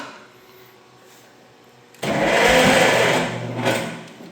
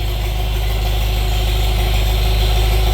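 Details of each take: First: Old tractor parked for years with a very dead battery, full choke: two bursts of steady starter cranking with no firing; won't start, suspected lack of spark, points to be cleaned. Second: Old tractor (Farmall Super MTA or John Deere MI) parked for years, first start after years: deep, smooth, even drone with a steady low rumble, no knocks or misses; idling healthily, charging.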